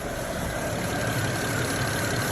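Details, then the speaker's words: 2009 BMW 535i at normal operating temperature after oil pan gasket, VANOS solenoid and cam actuator work, no leaks: quiet even hum with faint steady tone, no ticks or misses, smooth normal warm idle. "Yeah, it's silent, pretty nice. So I like it."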